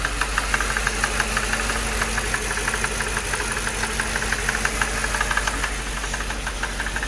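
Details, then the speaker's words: 2006 Mercedes CLS 500 at idle: rapid light tapping, about three per second, like a drum line, over an uneven idle with a definite misfire; tapping source unknown. "That rat-a-tat-tat-tat-tat. What is that? Tat-tat-tat-tat-tat-tat-tat-tat-tat. Sound like the drum line at a football game. What is that? I can't tell where it's coming from. I know it ain't normal. I'll tell you that much. Definitely has a misfire."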